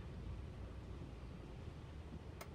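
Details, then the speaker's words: 2008 Toyota Tundra 5.7L stalling at hot idle with no codes; deep slow lumpy idle around 200–300 rpm nearly dying, alternator voltage dropping; carbon-fouled throttle body suspected of starving air. "that's because the throttle body i suspect the throttle body is not letting air in and then that would cause a low idle"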